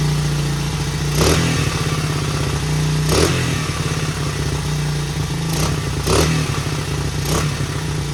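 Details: 1977 Honda XL75 single, long-stored, fired on first kick without a carb clean, choke on: even idle thump with several crisp throttle blips; runs pretty good, no smoke, float bowl dribbling, owner assumes bowl gasket needed.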